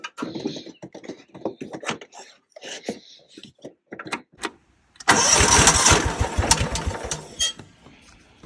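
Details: Cub Cadet HDS 2135 riding mower, Kohler engine, built about 1998–99, after new relay fitted, wiring loom redone and deck serviced: a few clicks, catches quickly, settles to a quiet, even idle; clean healthy start.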